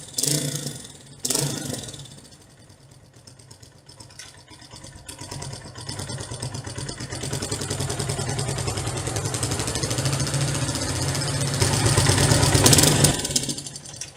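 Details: Yeh Lang (野狼) 125 motorcycle: a solid clunk as it shifts into gear, then a loose slapping rattle under the running engine as the chain swings.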